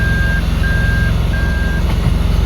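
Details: 2002 Toyota Land Cruiser Prado, 5VZ engine, freshly overhauled, idling with reverse selected by the shifter: steady high beeps about half a second long repeating roughly every 0.6 seconds; normal reverse warning buzzer, confirming the shifter-to-meter wiring is good.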